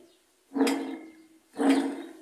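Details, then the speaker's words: Admiral/Maytag washing machine with water leaking past a failed seal into the tub bearing: two short rough grinding bursts as the tub is turned by hand, each dying away; worn, water-damaged bearing, deafening when washing. "ahí está el ruido básicamente ese ruido es lo que hace que tengamos que mandar a reparar la máquina porque cuando está lavando hace un ruido ensordecedor que no deja hacer nada"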